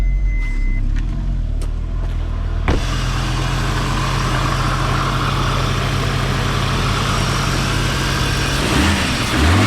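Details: Audi S6 starting after battery reconnected and 2 litres of concentrated coolant added with improved bleeding setup; brief crank then steady even run with no knock or rattle, the earlier bad noise is gone.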